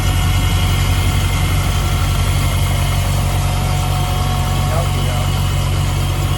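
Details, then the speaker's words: Supercharged Mk3 Jetta VR6 (Silver Arrow) with a fresh engine and rebuilt Vortech V9 supercharger kit, roughly 5–8 psi boost (unsure). Steady, even idle with a smooth low rumble and faint supercharger whine, no knocks or misses; sounds healthy. "yeah sounds healthy uh don't sound anything like it that video that we did last time"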